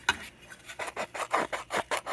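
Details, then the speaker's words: Hallicrafters clock radio, replacement speaker with voice coil taped in place by a previous owner: dry scratchy rasp pulsing with the sound several times a second instead of clean tone, the speaker's voice coil rubbing. "that is the sound of the field coil rubbing against itself well not the field coil the voice coil"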